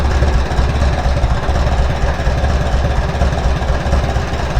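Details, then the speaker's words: Farmall B tractor after replacing a weak ignition coil: steady, even low chugging idle with smooth rhythm and no misses or knocks. "That's way better. Power right now. Okay. Go for another one. Wow, not bad, not bad."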